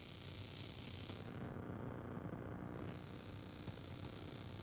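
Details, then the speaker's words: Focusrite Scarlett Solo with an unbalanced lead on the monitor outputs, mic held to the speaker: a steady hiss with a fluttering buzz that tracks computer CPU activity; USB ground-loop noise. "static really annoying static and it's not just random static like that it's actually correlated to uh what my cpu is doing in my computer"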